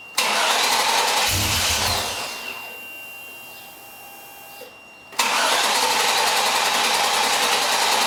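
Two bursts of steady cranking with a pause between them, and the engine never catches; it cranks but will not start. Cause suspected, not confirmed.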